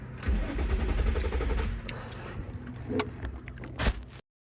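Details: Modified 2005 Infiniti G35 with repeatedly blown IPDM ECU fuse (P1065), after swapping fuses: starter turns the engine over in a rough, uneven churn with keys jingling; never catches, crank-no-start, cause unconfirmed.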